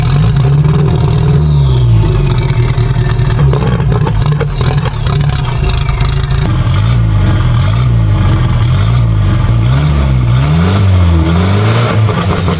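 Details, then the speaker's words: Junkyard-turbo 1969 MGB (modern SUV turbo) with homemade anti-lag, new head gasket and fender-exit exhaust, base ignition timing retarded further: rough heavy revving with crackling pops and clatter from the exhaust. Anti-lag popping from retarded timing. "I retarded the base timing a little bit. So now it'll be even extra retarded."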